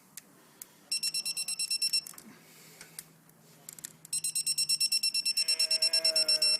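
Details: Torque wrench on the cylinder head bolts of a Briggs and Stratton 31Q777-0215-E1 lawn tractor engine, star pattern, final torque 229 with extension: two runs of fast high beeps, about three a second, with clicks, signalling target torque reached.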